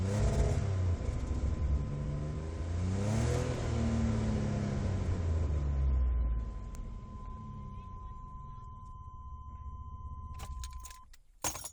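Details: 1996 GMC Jimmy, VIN code W, no engine codes, fouling plugs; ICM, coil, plugs, fuel pump and injector assembly already replaced: under hard throttle revs rise and fall with a choppy, sputtering misfire.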